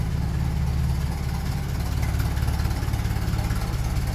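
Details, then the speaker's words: 1957 Ferguson 35 TVO tractor at slightly raised revs, about 500 rpm, not yet up to temperature; owner fears the coil will cut out when hot. Low, even thudding about three beats a second, no skipped beats; runs normally, no misfire. "it doesn't sound like it's missing or misfire and much but I know that coil will heat up and when it heats up that engine will turn off like a switch"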